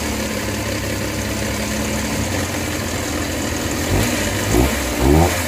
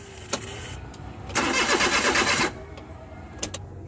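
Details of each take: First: Suzuki Multicab K6A, previously wouldn't start: small engine idles steadily then takes several quick throttle blips that rise and settle cleanly; healthy. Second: Suzuki Multicab with K6A engine: starter churns steadily for about a second but the engine never fires or catches, then goes quiet, a crank no-start.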